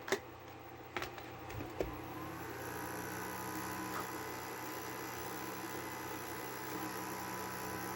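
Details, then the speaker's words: Fan in the base of a 6ft fiber optic Christmas tree, after felt was added to stop a sudden vibration: handling clicks, then faint steady hum with thin tones; fan still noisy. "fan still appears to Make Some Noise um I'm gonna try another thing"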